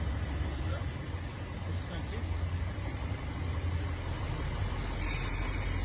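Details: BMW 745 at idle: an uneven low throb that stumbles every few beats, a misfire. Suspected to be a broken ignition coil or its boot, not confirmed.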